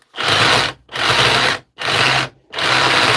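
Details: Dewalt cordless tool on a weak, recovered 20.1 V battery: four short trigger pulls, each a high buzzy whirr with a coarse rattling edge over the motor; rattling while running, cause unknown.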